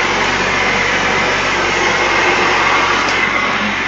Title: 3rd member making noise